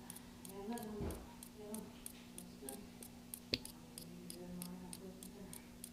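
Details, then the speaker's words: Switch-mode power supply on the bench, switched on and listened to with a stethoscope: sharp dry ticks about every two-thirds of a second over a quiet hum. Technician suspects a heat-shrink-covered thermistor is the clicking culprit. Clicking. "okay so based on what I'm hearing so far it appears to me like this this may be a thermister see if I can get this shot here this is their mister is our clicking culprit"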